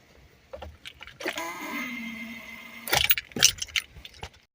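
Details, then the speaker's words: 2004 Honda Accord, key turned: keys rattle, then a thin steady whine about two seconds with no engine cranking; starter not getting proper electrical contact, attributed to a worn ignition switch, fixed by replacing the switch. "and so that wine sound that you heard when you turn the key that's the electrical component to your starter that wine sound means that it is not getting uh proper electrical flow it's not getting a contact"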